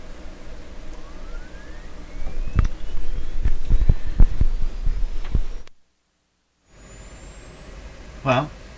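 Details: 1929 Templetone radio speaker, microphone close up: faint, thin tone climbs steadily in pitch over several seconds between handling knocks; cone detached, so almost no sound comes out.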